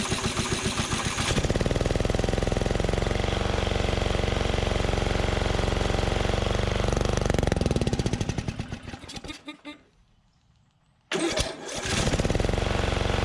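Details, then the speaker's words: 2004 Craftsman DYT4000 Briggs & Stratton riding mower left in a field, running on a makeshift carburetor: steady single-cylinder chug at constant speed, briefly cuts out and picks back up; the engine itself sounds healthy. "so motor sounds good"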